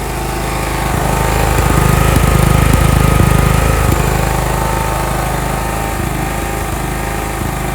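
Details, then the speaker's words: John Deere 170 riding mower with weak starter, owned about five years, low on gas, manually started via top of cylinder: steady even single-cylinder thump around idle, swells slightly then settles, no misses or knocks; runs good. "yeah buddy she runs good so guys that is it that is how you manually start your uh john deere lawnmower"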